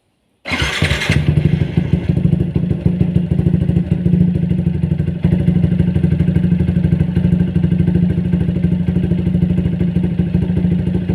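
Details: Single-cylinder motorcycle after service with Una Racing HP3000 fully synthetic 4T oil; starts and settles into a quick, slightly uneven thump with faint tapping, knocking persists after oil change, cause unclear.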